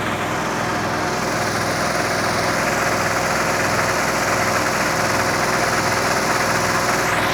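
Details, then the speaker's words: 1974 Chevy Step Side after straight-six to Chevy 350 V8 swap, first start for cam break-in: loud rough running with uneven knocking about two to three per second, no oil pressure reading, then smoke from the dipstick. "I'm not reading oil pressure that did not sound good I don't know what that sound was"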